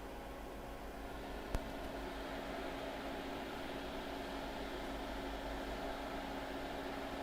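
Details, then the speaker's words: Off-grid solar battery inverter powering an enamel kiln after repairing failure that overheated wires and blew fuse: steady low hum with faint fixed tone and fan hiss, even under load; inverter running normally, wires staying cool. "let's give this a try now when this kiln turns on we should hear the inverter start running and it's running wires are still cool"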